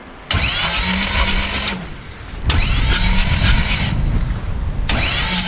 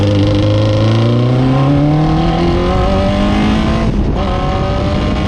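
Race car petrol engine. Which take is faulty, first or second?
first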